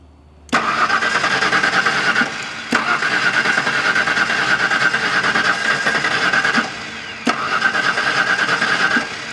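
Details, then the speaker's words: LT van pumping water, timing checked at the crank: ignition timing found at about 35° BTDC, far too advanced. Three long, steady cranking bursts, and the engine never catches. "it's like 35° before top dead center let's loosen up this distributor give it a little maybe that'll help"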